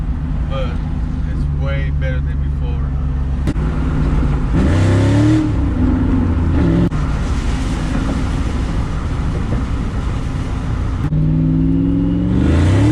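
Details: 2001 Roush Mustang 4.6L 2V V8 after installing new MSD Blaster coils and spark plugs to cure a misfire: idles evenly and blips up cleanly with no stumble or miss, running normally.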